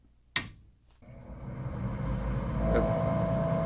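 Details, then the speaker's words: Landlord's furnace after a basic cleaning, thermostat calling for heat; it used to light, run about 15 seconds and shut off: a relay click, then the combustion-chamber evacuation (draft inducer) motor hum builds smoothly and settles steady; normal startup. "evacuation that chamber evacuation motor running"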